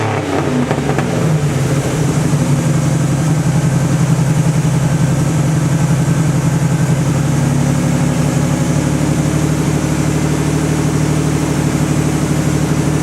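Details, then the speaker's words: 1986 Cadillac Cimarron 2.8L V6 after tune-up with EGR valve, distributor cap, rotor and ignition module done: catches and settles into smooth steady idle, no misses or knocks; exhaust likely needs work; normal idle. "but it sounds like it's purring like a kitty right now it's running really nice and this is a 1986 Cadillac Cimarron"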